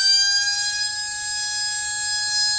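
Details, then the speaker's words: RC brushless motor on a SKYRC motor analyzer: 40,000–45,000 RPM at about 4.6 amps with little RPM lost; clean steady high whine; normal brushless motor run. "so we're halfway we're at 40 000. and it's 4.6 45 000. so we haven't lost a lot of RPMs"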